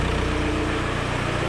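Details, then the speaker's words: 2003 VW Beetle 1.9 TDI diesel, after oil change and new turbo wastegate: steady diesel idle with a faint regular light tick; owner suspects a small exhaust leak, not confirmed. "A little bit ticky. I don't know what that is. A small exhaust leak somewhere as possible."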